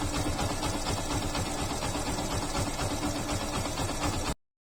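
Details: Yamaha FZ/Fazer motorcycle engine idling steadily with an even, quick putter and no rattle or ticking, after timing chain tensioner replacement fixed the timing chain noise; normal idle.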